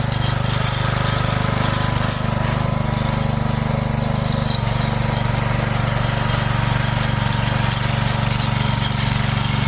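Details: Free neglected Texas rototiller with Briggs & Stratton engine, stuck cables and choke freed: steady single-cylinder putter holds an even beat under load during a short test run, no misses, knocks or surging; running fine.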